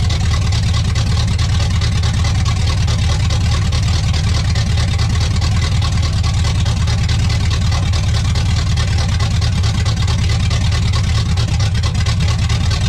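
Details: 1985 Pontiac Trans Am 350 small-block, restarted from inside after warm-up, exhaust hot: steady, deep rumble with an even beat and no knocks or misses. It is running smoothly after 7+ years idle.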